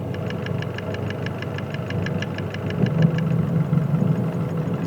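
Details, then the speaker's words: Nissan Pathfinder/Navara diesel at idle, sensor on cylinder 1 with aftermarket Chinese injectors: sharp metallic ticks about six a second that stop when that injector is cut off, so it's injector needle knock, not a valve. "слышите клапан пропал такие дела значит это всё-таки форсунка"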